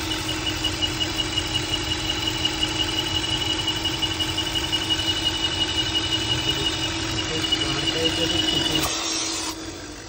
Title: AUDI RS5 In Idle Whistle Sound Coming From inside noise It’s noise coming from PCV VALVE